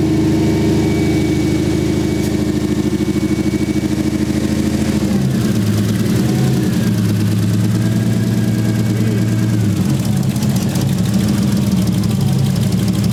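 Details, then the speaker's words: 1JZ VVTi swapped into a 240SX: uneven, lumpy idle with a stumbling beat breaking the six-cylinder rhythm. Coil packs were pulled and checked; the misfire came from an injector plug that wasn't seating right. "looks like we had an injector plug that wasn't seating right"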